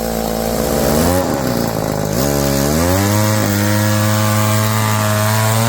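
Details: Roll G2000 two-stroke chainsaw winch after new carburetor diaphragm and quarter-turn high-low mixture screw tweak, pulling a load: revs cleanly, pulls down evenly then holds steady strong note, no sputter or bogging; fixed.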